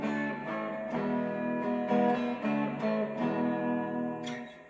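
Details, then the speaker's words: Fender Hot Rod Deluxe tube amp after Fromel mod and resoldering a broken trace to restore continuity: clean strummed guitar chords, steady sustain, no hum, crackle or cutout; amplifier working normally. "Hopefully I'll have continuity, and at that point, fingers crossed, the amp's gonna work. So let's see what happens. Guess what? It works."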